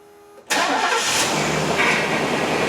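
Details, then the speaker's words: 1996-98 Chevy C/K truck: first start just after fixing the power steering pressure hose leak and filling the reservoir. Fast idle with a faint thin whine as air purges through the pump; fluid later drops to the cold line. "What's going to happen is when I start this thing up, there's going to be air that's going to be circulating through the system. When that air gets pushed out, the fluid level will go down a little bit. This thing might make a little bit of noise first thing when I start it."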